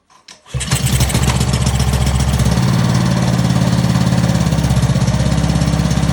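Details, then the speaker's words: Old, previously seized Ryobi pressure washer engine, freed by hammer-tapping, first start after reassembly: short pull, fires at once and settles into a brisk, even putter on choke, running cleanly. Normal start and run. "Just like that, baby. That's how you get an old Ryobi power washer to start running"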